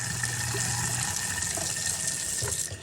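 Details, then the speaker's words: Steady low motor hum under rushing tap water: a fairly new garbage disposal, previously stuck and humming, runs freely and normally after being wiggled loose by hand with power off. "give it a quick test we'll turn on some water test it out there you go works like new"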